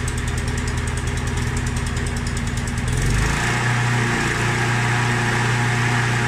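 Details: Mountfield SP536ES self-propelled mower, RM55 160cc engine, after service, new battery and drive belt: steady, even engine drone with a clean low beat, no misses or knocks. Normal running.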